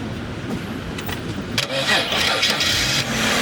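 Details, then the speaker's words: 2007 BMW X3 with a new battery that still cranked slowly: the starter drags the engine over sluggishly at about three labored turns a second. Cause: a corroded engine ground strap showing a 3.4 V drop; a booster cable across it made cranking much faster. "so this car had a slow cranking and on a visual inspection we found this is BMW X3 and a pretty standard ground strap that's corroded"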